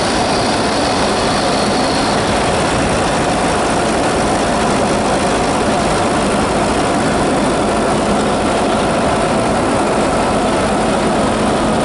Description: Strange squealing noise from my turbo Insignia B 2.0 Diesel cdti 170 68 plate.